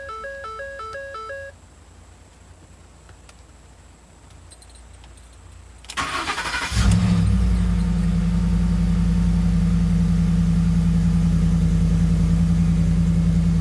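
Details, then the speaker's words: 2011 Ford F-150 that had been cranking without starting; fuse 27 (fuel pump power) was replaced. Dash chimes, a short crank, then it catches at once into a steady idle, though the "turn power off to save battery" message remains. Normal start. "Seems like it gave us the same message, but it cranked up. It was not cranking up before. So I think that's a good sign."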